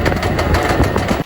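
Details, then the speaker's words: Electric tricycle with rear wheel jacked up, motor recently replaced: harsh rattling grind from the rear axle while running, more frequent at higher speed; motor alone runs quiet unloaded. "速度越快，声音响得越频繁。"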